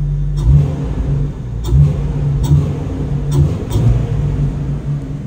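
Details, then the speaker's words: Jeep after installing a THOR Trail Head cowl intake (Gen-3 prototype) replacing the factory airbox, recorded on phone near the engine: quick throttle blips rise and fall cleanly over a smooth low rumble with a mild intake note; not loud, healthy. "it's not that loud it actually sounds kind of cool"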